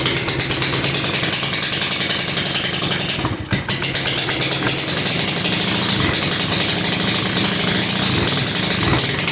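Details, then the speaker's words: 2007 150cc GY6 scooter, parked since 2016, first start on starting fluid: harsh, raspy, very loud single-cylinder idle with sharp crackle; homemade exhaust that doesn't muffle. "take the starting fluid out try this again oh yeah oh my God this is so loud"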